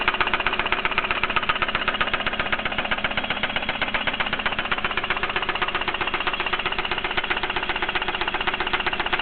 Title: 3000gt lifter tick or spun bearing